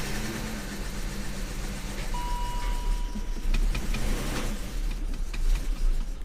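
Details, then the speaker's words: BMW E39 that had its battery connected backwards and sat a while, first start: uneven, lumpy idle with slight speed wavering, running rough; smells of old gas, owner suspects a stuck cold start valve. "She's kind of rough, boy. She's kind of rough."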